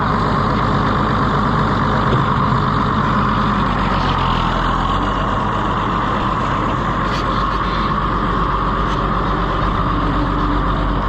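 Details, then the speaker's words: Allis-Chalmers WD tractor: heavy chugging at low revs with an uneven, lumpy beat that never settles; running rough because it started leaking again. "It started leaking again. That's why it was running rough too."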